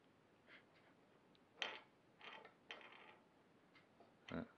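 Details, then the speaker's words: Engine with Moric CDI opened up, crankshaft turned slowly by hand: irregular scraping, ratcheting bursts from worn, failed main bearings; moisture had got inside the engine. "et alors écoutez moi ça ap les roulements ils sont maintenant sur les pièces n'avaient ni au déroulement hs"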